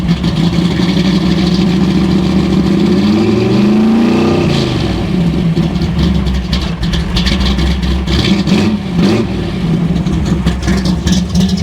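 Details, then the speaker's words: Hot rod V8 after fresh fuel and newly gapped spark plugs, cold, before warm-up, earlier galloping idle noted: deep steady idle, one quick rev rising and settling cleanly; normal running. "thing sounds so good."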